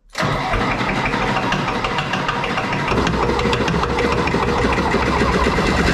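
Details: John Deere 1010 diesel tractor, first start after engine rebuild: catches right away and settles into an even, steady clatter with no knocks or misses; blow-by smoke that was heavy before is reduced; normal running.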